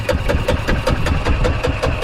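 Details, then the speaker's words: 2003 Club Car DS golf cart with a previously seized engine, parked three years, cranked with the spark plug in: even cranking with strong, regular compression puffs about five a second and no clatter. Healthy compression. "good that's a good sound sounds pretty good"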